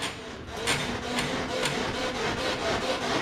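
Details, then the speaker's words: 2012 Polaris RZR 4 800: the rear suspension gives dry, unevenly timed creaks about twice a second as the chassis rocks, like an old mattress; the fix is backing things off slightly, as was done on the front. "so that worn out motel mattress sound to it so we're just gonna do exactly the same thing as the fronts"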